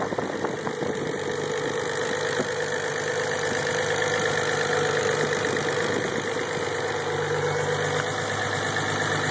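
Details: Engine just after start-up: even, steady idle with a constant mid-pitched hum and no knocks, ticks or other noise; normal idle.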